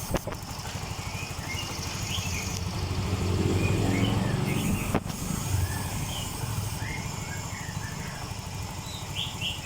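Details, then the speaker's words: Yamaha Mio M3 scooter with weak power and flashing MIL code 28 (engine temperature sensor), after ECU data reset: temp now reads 59° instead of -20°, O2 sensor working; revs up briefly then settles to a steady, higher idle, no misfire. "Hai nah ini langsamnya udah gede beda yang awal tadi"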